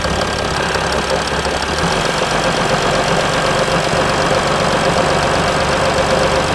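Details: Mercedes E320 CDI S211, 3.2 V6 diesel 224hp, 7G-Tronic, 250,000 km, DPF and catalyst emptied, cold start after sitting one week, smokes slightly: loud clattery lumpy idle about four knocks a second; rough cold-start idle.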